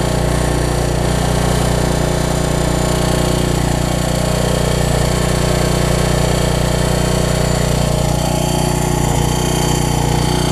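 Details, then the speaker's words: Troy-Bilt 550-watt generator, run on choke with a new coil; a steady fast loud drone with a raspy scraping layered over the firing, which the owner suspects is a shroud rather than the engine; the rub later cleared. "it wouldn't surprise me to start right up that's some sort of shroud it's not the engine i hope not at least"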